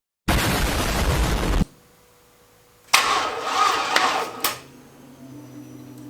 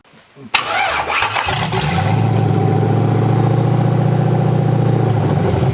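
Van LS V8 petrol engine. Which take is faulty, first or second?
first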